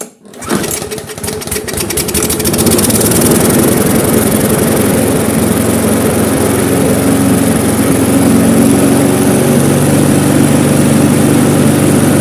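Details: Briggs & Stratton Classic lawnmower engine after carburettor overhaul, with the slack spring re-looped and the linkage raised: it catches on the pull, revs up within a couple of seconds, then settles into a steady, even run with no hunting. Normal running.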